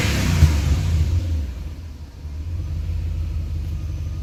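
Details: BMW E38 740iL V8, second run after sitting 4 years, vacuum leak fixed: throttle blip, then a steady deep idle with no hiss or stumble.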